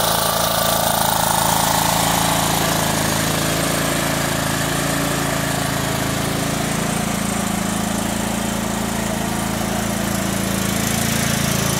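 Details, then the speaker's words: Kohler Command CH16S engine in a Cub Cadet 2166, after reinstall and reseal/electrical/starter refresh: smooth even regular idle, no misses or knocks; runs good, warming up after cold start. "all right it runs good let's take it outside and let it warm up"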